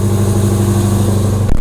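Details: Hellcat 6.2L supercharged HEMI V8, cold start: deep loud even rumble at steady fast idle, no misses or knocks, brief shift near end as valves open and it quiets.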